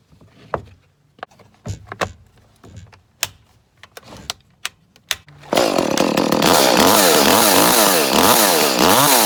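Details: Echo CS 310 chainsaw, six to seven years old, after replacing the spark plug that caused months of poor running: after clicks and knocks it fires and holds a strong, steady high-pitched buzz through repeated revs; runs cleanly, normal running.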